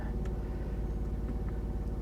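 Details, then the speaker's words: 2017 BMW i3 REx range extender engine running with the high-voltage battery out of charge, bought as having internal engine noise; only a slight low, even drone with no knocks or ticks, normal running. "Okay, I do hear a slight noise from the Rex. Doesn't sound like anything crazy."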